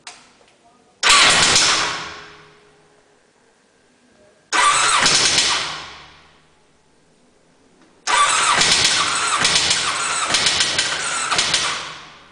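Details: Three separate cranking attempts, each a few seconds of fast starter churn with no catch or idle afterward: the engine cranks but won't start.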